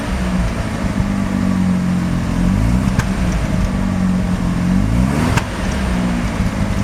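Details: Mazda RX-7 rotary with extremely high CO (2.70), failed inspection: runs unevenly with irregular stumble and sharp pops, shaky rough idle, misfiring on slight throttle; no oil pressure; ignition leads already measured; cause unknown.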